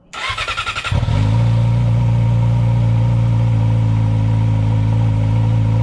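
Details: 2015–2018 Yamaha R6 after fuel tank and pump conversion, about a gallon of fuel added: about a second of cranking, then it catches and settles into a steady, even idle with no misfire or knock; healthy start.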